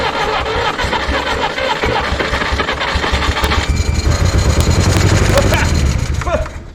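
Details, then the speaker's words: 1964 Jeep CJ-5 after 30 years in a barn, engine freed with sludge, on two-stroke-oil fuel mix: catches and runs loud and uneven with a lumpy, irregular beat and rising rumble, heavy smoke, sludge blown out the exhaust; rough first start. "It runs. Looks like you guys got the smoke show over there, too, huh? Probably just blew a whole bunch of rats nests out of that thing."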